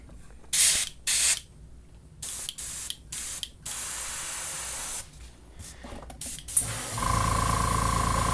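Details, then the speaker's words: Iwata Eclipse HP-CS airbrush: air bursts in uneven spurts with silent gaps, then a steadier hiss and whine as PSI is raised; tip clogged by paint chunks built up from cleaning. "yeah a brush is real struggling right here what happens is Chunks build up in there every time you clean the airbrush out and they build up in the tip"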